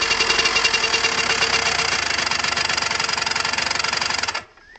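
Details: Derbi Senda two-stroke with a strange engine sound: loose, uneven tapping about four per second over the buzzy run, then the engine cuts out; abnormal engine knocking.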